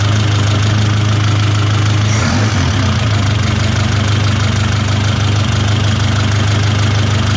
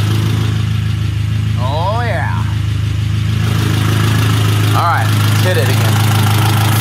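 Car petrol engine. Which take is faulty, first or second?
first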